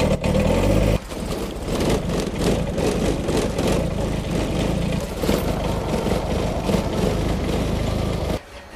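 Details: Kubota small diesel tractor in cold winter weather: it cranks briefly, catches within a second and settles into a steady, even clatter with no misses. A normal, clean cold start.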